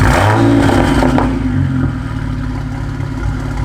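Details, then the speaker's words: BMW 335i (E90) turbo petrol engine, cold, revved after fitting a new exhaust: loud turbo whoosh with an uneven, stumbling pulse about four times a second; clearly misfiring. "You can hear a whole lot of turbo, but it's definitely misfiring. So as you guys can probably hear on the video, it's definitely misfiring."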